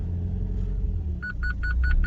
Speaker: the car moves check this out first gear see that the car moves the gearbox Works engine works the parking sensor are working as well